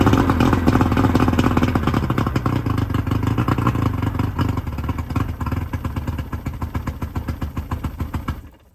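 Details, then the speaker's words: 1999 Bayliner Capri with 125hp Mercury outboard during rebuild, extra oil premixed in the tank, waiting for the thermostat to open: steady low putter at about three beats a second, slowly sagging before shutdown; runs smoothly, idle slightly low, telltale working. "The idle's a little low."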